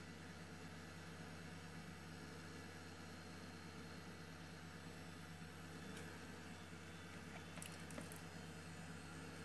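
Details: Old Highscreen retro gaming PC, power button just pressed: soft, steady low hum of fans with a couple of faint drive clicks, even and quiet. Normal fan and drive noise.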